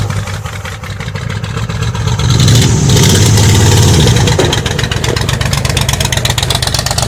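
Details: 1985 Ford Bronco (title says 1986), pasture find, first start in 8 months after puking coolant from an exhaust pipe; oil squirted down the cylinders. Revs unevenly, then a choppy, lopsided idle on about six cylinders. Cause not confirmed.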